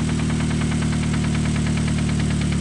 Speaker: Rod knock right there. Sounds like the connecting rod is banging up. Definitely on the brake shaft.